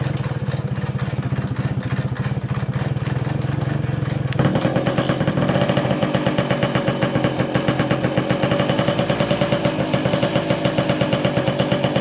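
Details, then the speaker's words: Tomos LX moped, stored a couple of years: starts right away, crackles unevenly then picks up to faster steady burble; won't idle well. "W doesn't like to idle."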